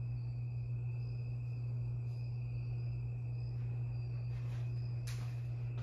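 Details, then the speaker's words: Harbor Breeze Lakeside II 52-inch polished brass ceiling fan before restoration: loud steady low hum, running only on low speed on all three settings; cracked, partly melted bad capacitor, to be replaced. "it has a bad capacitor it's it's very bad it has couple of cracks in it and it got melted it got melted a little bit yeah and it makes a humming noise makes a the humming noise is a little bit loud"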